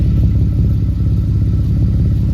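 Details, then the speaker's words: Camaro (392) after catalytic converter welding, with the exhaust pipe not yet back on: deep V8 rumble with rapid puffing clatter on each pulse, exhaust leaking at a loose pipe joint that needs tightening. "I knew I heard something wasn't right"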